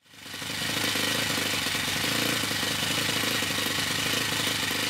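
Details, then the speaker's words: OS FS-60 four-stroke model aeroplane engine after new main crankshaft bearings were fitted into its aluminium housing, original pipe refitted to the pressure nipple; runs smoothly and evenly with a steady healthy high-pitched buzz. "to conclude this episode this is how the engine sounded before i changed the main bearings and now it sounds like this"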